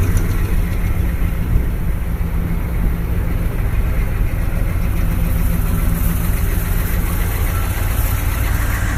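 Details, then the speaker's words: 1986 Chevrolet K30 M1008 military diesel truck on 37-inch tires, true dual exhaust, some engine rework done: deep, steady diesel rumble, even beat, no knocks or misses; healthy idle. "so in case anybody was wondering what the good old boy army truck sounds like my 1986 Chevrolet k30 m1008 United States military truck sitting on 37 in humb tires"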